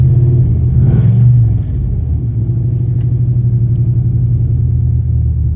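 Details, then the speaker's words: 2002 Dodge Durango 4.7L V8, 108k miles on replacement motor, sat about a year, wants to die at stops: after a blip revs hang high then sag well down and waver; idle hunting, cause not found. "See, now it's wanting to stay up, and then it drops way down there like that. Drops down there."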